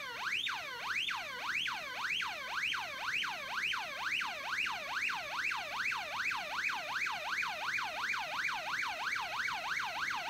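A clean warbling tone sweeps up and down roughly twice a second, steady and strong; the stall warning generator is working properly.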